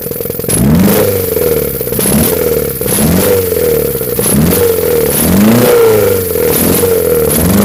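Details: Honda Civic EF with swapped B18C4 and OBX individual throttle bodies: short blips rising and falling about once a second with ragged clattery edge; revs roughly, owner suspects nonstandard ECU setup, unconfirmed.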